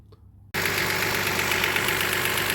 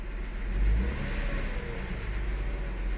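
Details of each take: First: 2002 Toyota Highlander at idle, scope and amp clamp on the factory ignition coil, with new coil and plugs already fitted. The engine runs at a steady, even beat with no stumble or miss, so it is not misfiring at this moment. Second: 2002 Toyota Highlander, new coil and plugs fitted before, given a light throttle snap. It climbs with an uneven, stumbling note and a live misfire count; leaner conditions on the snap make spark hard to jump.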